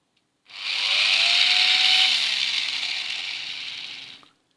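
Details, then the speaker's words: Old abandoned electric shaver after restoration, plugged in; smooth even high-pitched buzz spins up and holds steady a few seconds, then stops; motor runs normally. "It's working, guys. The trimming. Yes, also the trimming is working."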